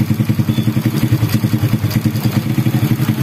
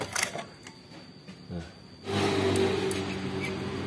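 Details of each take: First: Honda Supra Grand motorcycle after replacing worn cam chain and worn tensioner roller that caused rattling: engine idles evenly with steady exhaust pulses, about seven a second, no rattle; normal smooth idle. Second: Honda Supra Grand motorcycle engine starts and idles with a light, busy metallic rattle from a slack cam chain (possibly a worn chain roller); fixed by replacing the cam chain.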